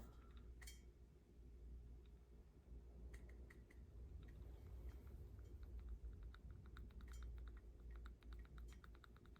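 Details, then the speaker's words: Unshimmed differential for a custom Arrma Kraton 6S/8S EXB build, turned by hand: sharp clicks in quick bursts as the pinion is rocked against the ring gear, showing excessive backlash, sloppy gear mesh before shimming. "that is one sloppy death so when you run it with even by hand sounds and feels nasty no good"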